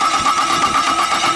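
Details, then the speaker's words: 2008 Chevrolet Caprice (Holden Commodore) after a starter motor overhaul: strong, even cranking with steady compression pulses and no grinding. Current draw is 110 A, 20 A less than before. "so after the overhauling of the self self starter we are going to crank the car and we'll show you how it is cranking"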